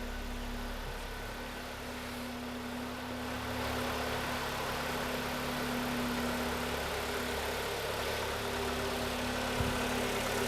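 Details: 2011 Kia Cerato G4KD, 211,000 km, knocking cold and hot, after repair with flushing oil: even, steady idle, smooth low hum, no knocking or ticking; engine sounds healthy, normal idle.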